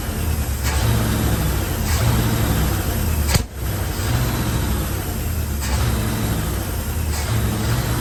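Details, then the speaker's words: 1974 Chevrolet C10 old high-mileage engine, just revived with unknown history. Low, uneven, lumpy idle with the odd stumble; it has blow-by and needs a tune-up, and owner expects the rings to reseat. "But anyway, it sounds pretty decent, even on no plugs, no plug wires. It's got some blow by. Old engine got for a lot of miles on it."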